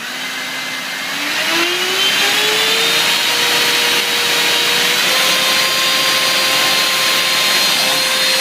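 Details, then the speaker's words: Brand-new Genesis Power 6S battery under full-throttle load test: motor whine climbs and holds while a faint high beep chirps; the checker signals cell imbalance, one cell apparently sagging to about 2-something volts. "See, you hear that beeping? That beeping um was it became unbalanced. Whenever it beeps, it means unbalanced."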